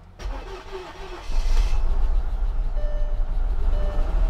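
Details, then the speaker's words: Salvage-auction Mercedes S55 AMG after a new fuel pump and fuel filter, with a boosted jumper battery: quiet, then the engine catches and runs up to a strong, steady low rumble, starting cleanly; normal engine start. "she's alive oh my goodness she's alive"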